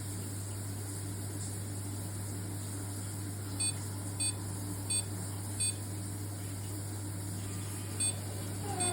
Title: Triton shower | Envi | Loud noise | replacement Tri-hub | service engineer | component defect?